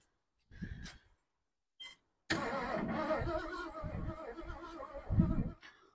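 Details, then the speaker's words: 1972 Ford Ranchero being revived after long storage, cranking with a hot wire to the ignition: two short bursts, then about three seconds of steady cranking with no firing, because the distributor rotor button was left off. "you know why one won't crank when it's getting sparkk cuz you leave the rotor button off"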